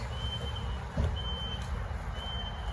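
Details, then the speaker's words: Steady high-pitched beep about once a second, each roughly half a second, over a low outdoor rumble. It has sounded since 4 a.m. and is loudest right outside an apartment door but not inside; no car alarms, fire alarm disabled, a camera flagged a CO alarm. Source unidentified. "And it did just rain and the noise is still going, but it's loudest literally right here, and right there is my apartment. But it's not coming from inside my apartment."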